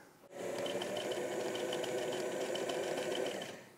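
Quick, even stitching chatter at a steady speed for about three seconds, smooth and free of knocks or snags; machine sewing normally.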